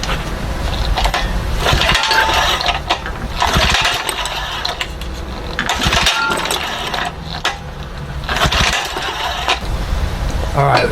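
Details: 1974 Johnson 25 hp outboard, primed with a little fuel: repeated pull-cord rasps every couple of seconds with brief whirring but no catch; it cranks yet never fires.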